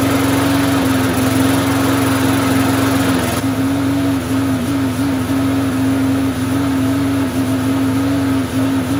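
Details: Curbside-rescued MTD walk-behind mower with no blade and no air filter, just started; it holds a steady, even hum at constant speed with no misses or knocks; smoke is suspected to be oil burning off after tipping; normal running.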